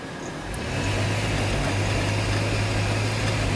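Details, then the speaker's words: 2005 Dodge Grand Caravan, 3.8 V6 pushrod engine with waste-spark coils, power-brake load test in drive: uneven, stumbling low drone; misfires counting on cylinders 1, 3 and 5, worst on 3. "Look at that. 1, 3, and 5. Counting up like crazy. Especially number 3."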